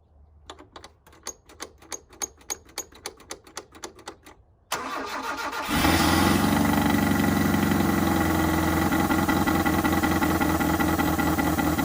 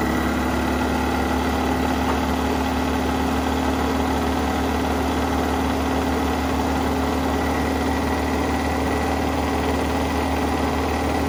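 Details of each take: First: 1983 Mazda B2000 carbureted engine, fuel line just reconnected to carburetor: about three cranking pulses a second, then fires and chugs unevenly while the float bowl is still filling; fuel starvation. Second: 1983 Mazda B2000 petrol carbureted engine, start after revival with fuel line reconnected to carburetor, no air cleaner: steady, slightly fast chugging idle on choke, constant low drone, no misses or knocks; normal cold idle, choke pull-off.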